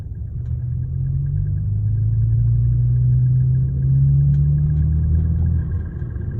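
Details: BMW 335xi, deep steady drone from the front of the car, swelling slightly and drifting in pitch; cause unknown, owner asking.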